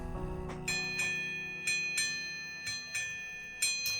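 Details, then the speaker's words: Vintage Chelsea ship's bell clock after overhaul and final hammer-wire adjustment that removed a buzz: clear ringing strokes about once a second with clean sustained tone and no buzz; normal bell strike. "That sounds pretty darn good to me."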